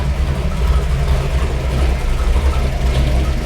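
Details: Rebuilt 440 V8 street engine, compression raised, after fixing oil leaks, noises and rich running; first start with oil pressure and air-fuel ratio good at idle: deep, even idle with steady lope, no valve clicking; valvetrain quiet and healthy.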